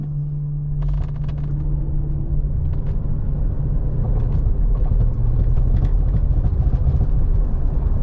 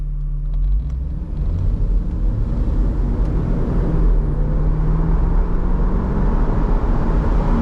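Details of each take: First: 1996 Mercedes SL500 R129 pulling away from a dead stop at about 1,000–1,500 rpm, windows up: deep uneven thump-thump under the cabin from a failed driveshaft center support bearing. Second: 1996 Mercedes SL500 R129 hard pull from a dead stop after driveshaft, flex disc and center support bearing repair: smooth rising engine and drivetrain hum, no thumps, clunks or vibration; driveline fixed.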